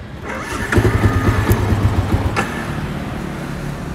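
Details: Old Yamaha V-Ixion motorcycle that won't idle or start on its starter: starter jumpered directly at the bendix with pliers gives quick even cranking pulses, then the engine catches and runs steadily; starter motor itself works.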